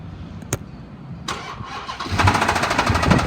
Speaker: it's got a 5.7 liter V8 Hemi with 128 000 miles but the motor has a loud look so it's got a bad motor